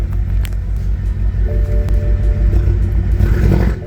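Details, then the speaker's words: BMW 328i bought from auction with full straight-piped aftermarket exhaust and downpipe, bad misfire, suspected blown head gasket or bad piston/cylinder: loud, deep idle with uneven stumbling beat and stutters, some smoke, sounds diesel-like; rough idle, cause unconfirmed. "so it does idle and it does run you can see a little bit of smoke coming out of there [Music] yeah so it sounds kind of like a diesel"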